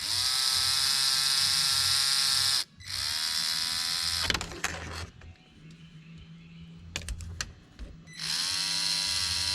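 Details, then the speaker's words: Traxxas TRX4m RC crawler after cleaning and maintenance, test-run with a battery, lights and steering working: a high, even electric whine in bursts with clean stops and restarts, no clicking or grinding. Drivetrain runs smooth with nothing binding. "I love it. I don't see anything binding. It sounds smooth."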